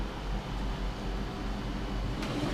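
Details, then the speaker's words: Trotec portable air conditioner, rotary compressor, running in a room in hot weather: low, steady hum with a faint even drone, quiet, heard mainly from behind, slightly louder the longer it runs; normal. "compressor is super quiet too can only hear it from behind really although like i did notice that the longer it runs the louder the compressor gets you can hear it a little bit but it's still very quiet"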